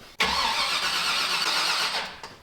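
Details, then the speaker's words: Pontiac Firebird with a new 408 Whipple-supercharged engine on a start attempt, using a sensor borrowed from another engine: a brief burst of cranking with no firing; crank no start, owner suspects the ECU is not seeing needed signals. "Yeah, it's not happy still. Oh, is it? Yeah, we're closer, but we're uh still a mile away here. Somehow I got to figure out it's not seeing stuff it needs to see."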